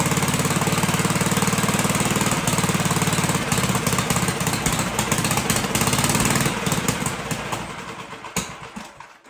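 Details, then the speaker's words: 1958 Gravely Model L single-cylinder, first runs after sitting about a year, needle valve opened, choked, throttle not yet hooked up: fast, uneven chugging and surging, then sputters and dies; rough running, big hole in the muffler. "But it did run. Sounded pretty good. It's got a big hole in the muffler."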